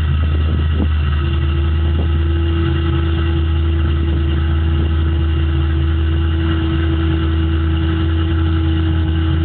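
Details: 1995 GT with an aftermarket cam, at idle: idles fast and lumpy with an annoying steady mid-pitched hum. Fixed by replacing the faulty idle air control valve.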